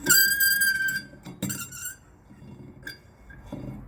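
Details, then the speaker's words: Disc brake pad wear-indicator tab touching the disc, demonstrated on a pad: sharp, high-pitched metallic squeal in short bursts, heard when reversing or going forward, more often in reverse; pads due for replacement. "자, 이런 소리가 이제 후진을 할 때나 전진을 할 때, 대략 후진할 때 더 많이 납니다. 근데 요런 소리가 났을 때는 패드를 해라."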